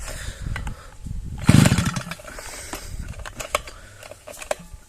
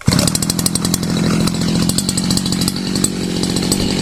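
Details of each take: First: Svityaz BT-430 petrol brushcutter that stalled and won't restart after refuelling, choke tried: three short pulls rasp and die without catching; spark plug found wet again each time, engine flooding; no start. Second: Sviatiaz BT-430 petrol brush cutter after replacing faulty spark plug that stopped it starting; starts first pull, steady even two-stroke buzz with no misses: normal running.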